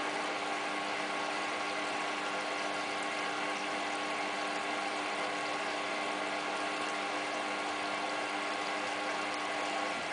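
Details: Hotpoint Ultima WT960 washing machine on cottons 60 test wash with about 7 kg mixed load including jeans; steady low hum over rushing water as the drum fills, no knocking or grinding, normal fill.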